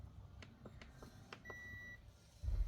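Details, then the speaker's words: Panasonic 100V single induction cooktop mistakenly plugged into 220V, powered up for testing: a few button clicks, then one clean half-second beep; it powers on normally drawing about 4 W, later heating a pot at 1400 W. "Các bạn nhìn này bật nguồn này ô vẫ nghe tiếng tít tít gì đấy có ăn 4 w này ố vẫn bật được lên nhá các bác nhá"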